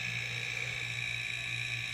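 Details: Homemade silent airbrush air compressor, running after the ineffective water/oil separator was removed: steady quiet hum with a faint even motor buzz and no knocks or surging. Running smoothly.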